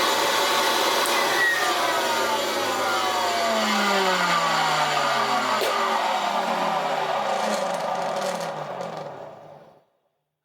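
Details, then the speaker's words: Vintage Hoover Senior 652A upright vacuum, brush roll removed, motor running alone: a rough rasping whir whose pitch slowly sinks as it coasts to a stop. The fan case bearing is suspected; hair clips and dust were clogging it. "Oh gosh darn it. It wasn't the brush off. Right. So yeah, we're going to have to have a look at the motor. My my money's on something's wrong with the fan case bearing."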